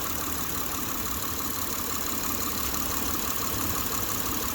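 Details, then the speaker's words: 2007 Saturn Vue (Honda engine) idling with loose, irregular knocking as the engine is pushed by hand; engine mount rubber has failed. "You shouldn't be able to just push your engine slightly and hear that knocking. It's a sign the rubber is gone."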